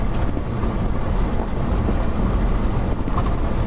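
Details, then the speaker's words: 1969 Ford F-350 with swapped 352 FE V8, lugged in third gear: strong steady low drone under load with road and rattle noise, no knock or miss; lots of power, normal. "third gear yeah i think the engine's running pretty good it's got lots of power he doesn't mind being lugged"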